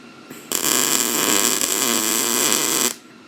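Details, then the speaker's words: Beginner MIG welding on a 1988 Chevy Silverado frame after slowing the wire speed and turning the heat down slightly: a steady, crisp sizzle with no popping or sputter; normal MIG weld. "yeah buddy I like it I mean that's not too bad for a beginner"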